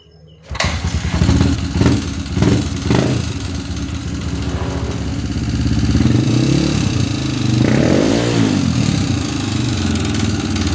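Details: Honda CRF150 single-cylinder motorcycle catches after a few cranking bursts, then idles and revs with a coarse, uneven beat; runs rough, cause not clear.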